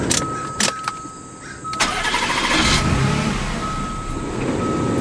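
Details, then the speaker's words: Supercharged 2002 Mazda Millenia S with about 60k miles, after vacuum-system repairs. The engine catches briefly, then runs rough with faltering bursts and won't settle to idle. The mass airflow sensor had been left unplugged. "yep didn't plug the mass airflow sensor back in so no wonder it wasn't running"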